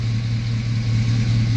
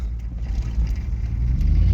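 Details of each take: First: 1999 Chevy Silverado 1500 Z71 with a 5.3 V8: deep, even low rumble with a steady pulse and no ticks, misses or piston rock; smooth, healthy normal idle. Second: 1999 Chevy Silverado 1500 Z71 with a 5.3 V8 and 4L60 transmission, driving: a loud, rough rumble that swells under acceleration with a raspy, uneven blat. Exhaust leak from the busted-up exhaust.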